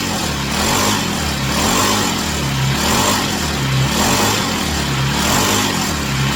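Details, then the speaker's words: Chinese Amazon mini bike small single-cylinder engine after first start, warming up on a table: steady buzz swelling smoothly with throttle blips about once a second, no misfire or rattle; healthy. "All right, so I'm going to let it run for a few minutes, let it get good and hot. I'm going to rev it up a little bit, and you guys can watch me do that."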